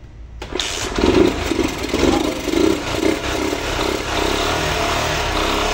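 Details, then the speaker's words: A 1999 Honda Titan motorcycle, parked for a long time and suspected of low compression, is started after gasoline is injected into the carburetor. It cranks, catches and runs evenly with throttle blips; slight valve tapping is mentioned. Normal engine start. "deu foi tempo de encher direito e a motinha não é que ela reviveu ressuscitou mas tinha parado aí muito tempo pelo jeito"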